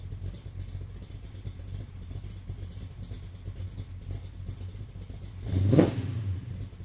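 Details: Car after vacuum leak fixed, recorded about 40 feet behind on a tripod: quiet, smooth idle, then one clean rev rising and falling without stumbling or hissing; engine running healthy.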